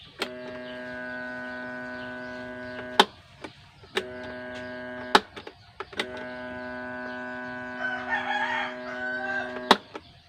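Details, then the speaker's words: Electric fan that won't spin, switched on: steady electrical hum in three bursts but never spins up; winding not broken, suspected tight or seized motor shaft. "ang kanyang problema mga bro umuugong lang Okay so ang ibig sabihin niyan mga bro ay okay naman yung k ng ating motor yung winding niya walang Lagot"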